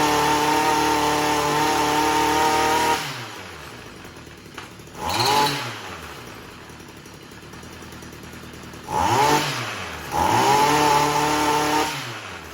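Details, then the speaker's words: Stihl MM55 Yard Boss two-stroke after ignition coil replacement, which fixed backfiring and no-start: buzzes at steady high speed, settles to idle and answers throttle blips cleanly; running normally. "That was the first pull. That's pretty impressive. Wow."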